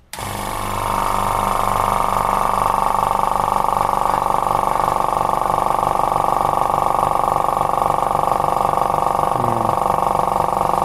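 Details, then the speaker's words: Electric paint compressor after repair of the fault where a bang left it idling at zero pressure: spins up quickly to steady hum with even piston pulse about three per second; running normally again. "вот мы все нормально заработало и можно приступать дальше покраски"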